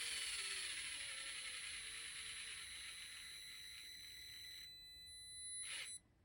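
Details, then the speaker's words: Mini-Z 4x4 crawler after fitting a PN Racing SCX24 90-turn motor, wires swapped to correct direction, driving: steady thin high-pitched whine that cuts off cleanly; normal, healthy motor and gears, noticeably slow top speed. "first thing i can tell right off the bat is wow this thing is slow"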